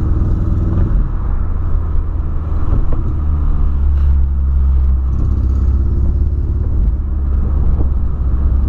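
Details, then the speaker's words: VW Polo began misfiring after refuelling; owner unsure whether spark plug, coil or clogged injector: deep, uneven rumble stumbling as revs rise and fall, no clean pull; engine misfire, cause unconfirmed. "olha aí olha como tá falhando tá fazendo demais mano olha o e não pode ficar com esse barulho tem que permanecer um barulho bom sabe"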